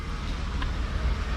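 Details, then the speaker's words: BMW E34 wagon, cold engine with newly installed viscous fan clutch: deep, steady bus-like rushing roar from the front as the clutch locks up, fading as the engine warms; normal. "i got the fan installed and i know it works because it makes crankband noises take a listen you always know when a crank fan is working because it sounds like a bus"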